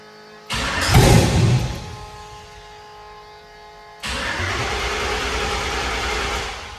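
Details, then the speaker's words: 1984 Chevy K10 with newly built LS engine, carbureted with MSD box, start attempt while building oil pressure: catches with a short roar, dies within about a second, weaker churn follows; battery voltage dropping, timing and carburetor issues suspected. "It did fire off for just that quick second and then die again."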